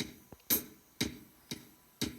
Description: Guide is turned all the way to the left to “off” but still you can hear it when the loop starts to play.